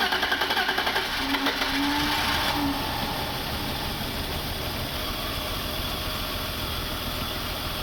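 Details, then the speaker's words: 1996 BMW E38 728i M52 running rough after fuel pressure regulator replacement for long cranking; air trapped in fuel rail bled via rail nipple, lumpy uneven pulsing settles to smooth running after about a minute. "car was running quite rough. I have de-aired the system using the nipple on the ramp. Engine needed a minute afterwards until the engine would run smooth again."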